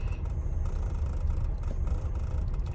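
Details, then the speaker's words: 1999 Lexus RX 300, about 310,000 miles, idling in park: uneven low idle with irregular dips and stumbles, engine shaking, RPM bouncing; cylinder 6 misfire, owner suspects bad ignition coil since plugs replaced 9,000 miles ago. "this is what it's doing in the idling and i have my car on park not drive for reverse and still doing this it's not very good"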